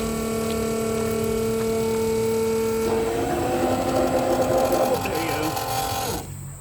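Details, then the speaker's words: RVGUARD RV macerator pump, powered from the cigarette lighter, pumping the black tank about 50 ft through a garden hose: even motor whine turns louder and rattly once the tank empties, running dry, which risks burning up the motor. "so you could hear the when it was empty you could hear the way the the engine motor got a lot louder you want to turn it off as soon as you hear that or else you can take chance of burning up your motor on there"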